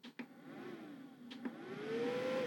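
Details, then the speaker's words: Jackery Explorer 1000 power station (1002Wh/1000W) cooling fan spinning up, pitch rising smoothly then steady with a couple of light clicks; fan runs continuously above about 80 watts load; normal cooling fan operation. "Okay, you can hear that. That's the cooling fan."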